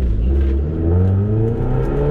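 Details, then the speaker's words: 250,000-mile Mitsubishi Eclipse GSX AWD on a test drive: low steady growl under the engine note, easing as the car slows, same with clutch engaged or disengaged; owner suspects differential or wheel bearing. "Crowley noise and this happens whether or not the clutch is engaged or disengaged here take a listen and it'll growl down as we slow down okay hopefully you guys can hear that so it doesn't matter what the transmission is doing so this could be a differential issue but it also could just simply be a wheel bearing"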